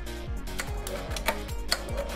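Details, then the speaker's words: Vintage Teletype Baudot transmitter under restoration: steady clacking of the print mechanism, about three strokes a second, over motor hum. The faint crackle is just sparking from the motor brushes; a slip clutch may still need lubrication. "so what I figured out is um the Sparks that I hear they're just the motor the brushes"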